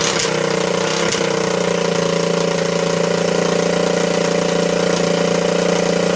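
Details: Honda ATC200S engine after being seized twice and a cracked oil filter cap replaced, refilled with oil: quick start into even, steady single-cylinder putter, no knocking or rattles; healthy idle.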